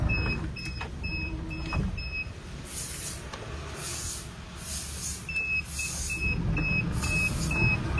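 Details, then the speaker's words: Aftermarket Cayman automatic sliding door on a 2022 Hyundai Solati, speed set to slow: steady high warning beep about twice a second over a low motor hum. Normal operation, no knocking noises. "nó không có tiếng kêu nào cọc đấy thì Bộ này có cái nhà làm điều điều chỉnh được tốc độ thì đang điều chỉnh ở tốc độ chạy chậm"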